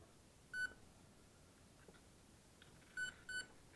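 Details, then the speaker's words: Emax BLHeli 20A ESC being programmed from the transmitter, in the brake type menu: a single short high beep, then a pair of beeps a few tenths of a second apart; one beep means brake off, two beeps brake on. "now we're in brake type see now it has a different beat so there's two options okay so brake type for this ESC has only two options one is the off two beeps is"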